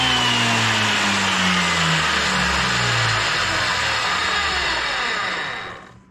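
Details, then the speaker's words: Wood planer after repair, chains temporarily set up: steady, even motor whine and smooth cutter hum with no knocking or clatter, then clean spin-down; running normally. "Alrighty then. Looks good from out here. Let me look under there again, make sure everything's turning right."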